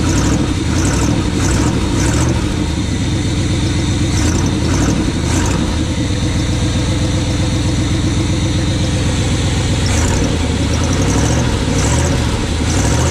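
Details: 1980 Chevy K20 squarebody 4x4 with freshly rebuilt Quadrajet carb and new fuel filters, warming up after start: steady even idle noticeably high, no misses or knocks; will check vacuum leaks and adjust, later tune idle circuits with vacuum gauge.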